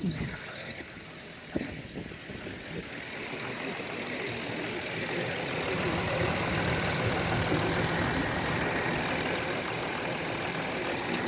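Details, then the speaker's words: 2009 Land Rover Discovery 3 diesel, 150k miles, idling just after first start following DIY timing belt replacement, before coolant bleeding: steady even clatter about 220 beats a minute, no knocks or misses; healthy idle. "I think it's done it sounds um it sounds like a discovery"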